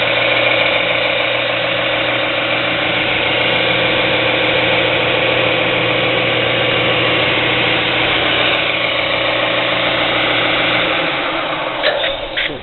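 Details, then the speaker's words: Jet 42879 6x48-inch belt and 10-inch disc sander, 1 hp, 115 V, lightly used: steady, even hum with no knocks or grinding, holding constant until switch-off; running smoothly. "Appears to be just slightly used. Has minimal signs of use, and it operates very well. I'm going to fire it up and show you it does operate."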